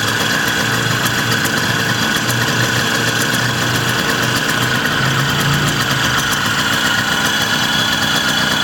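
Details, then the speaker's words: 1979 Puch Maxi 2-speed moped two-stroke, cold start on choke after sitting all day, after vinegar tank cleaning, new fuel line and filter and rebuilt Bing carburetor; fires right up into a steady, even buzzy idle with no misses or knocks. Normal idle. "I was going to make a first start video, but it just fired right up like it was nothing."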